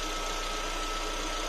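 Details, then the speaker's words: Lada Vesta at idle after adjusting the EVAP canister purge valve: smooth quiet idle, faint steady hum, annoying chatter gone though valve still operates; inaudible in cabin and under hood. "мы его не закрыли полностью до сих пор работает но уже назойливый звук шум исчез звук стал более комфортным ровном тихим"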